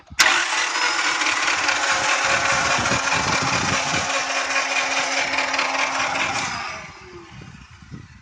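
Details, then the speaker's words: 1993 Acura Integra that ran out of gas: steady rapid cranking about six seconds, never fires; fuel pump heard running, fuel squirts at filter, main relay clicks. Cranks but no start. "it'll crank but it won't not turn over"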